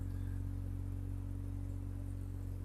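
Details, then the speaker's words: Barn-find Mazda RX-7 rotary, sat over 10 years, after unseizing and installing a Racing Beat header-back exhaust: deep, quiet, steady idle drone, no misses or rattles, no smoke; running healthy. "nice deep tone, not loud, stuff like that."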